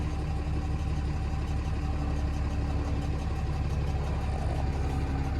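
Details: 2016 Ram 2500 diesel idling just after installing a new Fleece Cheetah turbo to replace the OEM turbo with a faulty actuator: smooth, steady low rumble, immediate oil pressure, no knocks, misses or turbo whistle; healthy idle.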